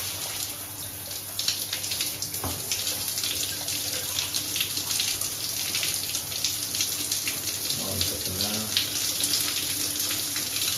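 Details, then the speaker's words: Grohe thermostatic shower mixer just replaced after the old one stuck fully hot or cold, water turned on; steady hiss with no drip or valve squeal and no leak from the valve, so the mixer is flowing normally. "So turn it on. There's fine. There's no leak from the valve itself."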